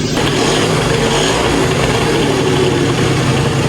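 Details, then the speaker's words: 2005 Yamaha Zuma two-stroke with a big bore kit, heat cycling at idle with a repacked silencer, so much quieter than before. Steady, even burble with no knocks or misses. Normal idle. "It's so much quieter than I remember. And I did repack the silencer. That makes a big difference."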